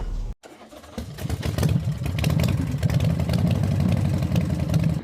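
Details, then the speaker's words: 2006 Chevrolet Optra with a crank no-start and no cluster lights, started with a jumper fitted: short crank, then fires and settles into a steady, even idle with no stumble; normal start. "Start natin. Start. Ayun andar na."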